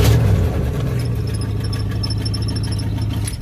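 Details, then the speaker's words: Truck idling with a thin high whine over it, the starter still engaged and spinning. It keeps cranking after key-off until shifted into gear with the brake held hard. Brand-new solenoid, built for a 93 model, suspected but not confirmed; owner plans an 87-type. "You just shut the key off and it'll just keep on cranking. Shove the thing in gear and hold down on the brake real hard, it'll kick it out. But that's a brand new solenoid. But you can hear it's running."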